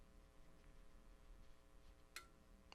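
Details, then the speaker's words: Icom IC-7300 internal antenna tuner, mic moved near the radio, tuning across 40 meters: two sharp, faint relay clicks over a low hum as it recalls memorized settings per frequency; normal. "as i tune across the band on 40 meters you'll hear some relays clicking which is the tuner changing settings as i get to different areas where it remembered different settings"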